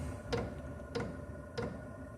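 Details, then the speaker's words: Diesel heater running kerosene, priming after glow plug heats: steady sharp fuel pump ticks about every 0.6 seconds over a soft low hum; normal pump clicking, though noted as loud. "If you can hear that. That's the fuel pump starting up."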